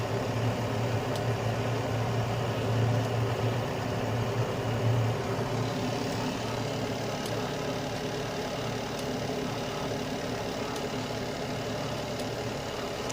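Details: Carrier Infinity 96 (58MVB-080) direct-vent gas furnace on low stage, which it runs about 90% of the time, with outside combustion air: quiet, even hum with a soft rush of burners and inducer; normal low-stage operation.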